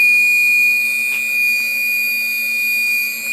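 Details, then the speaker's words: Original 1500 W spindle on 6040 CNC with China controller, noisy since new: loud steady piercing whistle with lower hum; suspected bad bearings, being replaced with a 2.2 kW spindle and VFD. "sounds horrible so I feel there's bad bearings in here"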